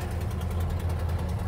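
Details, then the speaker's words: 1969 Plymouth Barracuda V8, just started after heavy cranking: rough, lumpy idle with a low chuff under each firing pulse from a bad exhaust manifold leak; the new gasket failed because the manifold is warped and needs machining. "now this one sounds really bad cuz it's got a nasty uh exhaust leak at the manifold I put a new gasket on it"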